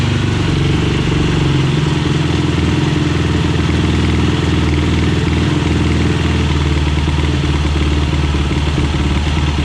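Loud, steady single-cylinder thump holding an even idle throughout, no misses or odd knocks; the rebuilt quad engine is running healthy.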